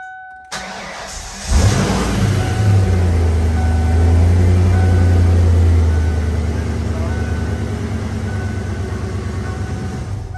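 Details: 1994 Ford Mustang just after the ignition lock cylinder was replaced and re-keyed to the old key: starter turns briefly, engine catches cleanly, flares, then settles into a steady even idle. Normal healthy start.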